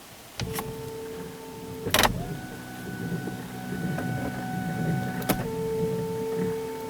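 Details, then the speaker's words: 2011 Chevrolet Equinox with wipers not working: a steady wiper motor whine that shifts to higher, then lower speed, with no wiper sweep heard. A damaged or unhooked linkage is suspected. "on all right well sounds like might be having a damaged linkage or something here"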